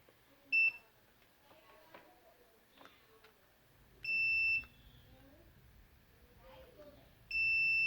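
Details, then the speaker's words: NOCO GB150 jump starter board that turns on then off and sticks at 25% charge, multimeter continuity check on low-ohm resistors used as fuses: three clean, high-pitched beeps. Continuity test passes, fuse resistors good. "next we're going to check this low ohm resistors that they knock who use them as a fuse"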